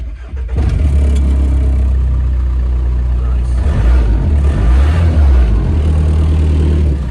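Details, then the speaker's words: VW Caddy pickup with a 1.9 TDI PD130 diesel that fires when the fuse box is dropped and cuts out when it is refitted. A brief crank, then a steady low clatter that starts and stops intermittently: a faulty electrical connection somewhere. "that is definitely an electrical connection somewhere as you can see it's stop start stop start"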